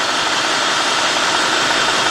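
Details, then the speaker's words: 2003 Cadillac DeVille 4.6, warmed up, surging idle, codes P0300, P0171, P0174, P0101, P0404: rough uneven idle under a steady loud airy hiss that grows once in gear. Vacuum leak, intake manifold gasket suspected. "And I can actually hear air more. You hear it?"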